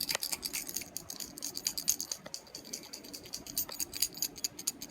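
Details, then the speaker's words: Broken HKS blow-off valve: quick irregular metallic clicks and rattles as it is shaken, from something loose inside that cannot be seen. "there's something rattling on the inside on the inside you could hear it rattling and then there's nothing you can really see"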